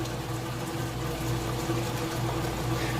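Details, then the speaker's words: Whirlpool top-load washer drain pump during cycle: steady low hum with strong watery churn as water is pulled out evenly; healthy, powerful drain pump. "into the rinse cycle now but I wanted you to hear that drain that pumps work a nice powerful get all the water out of there"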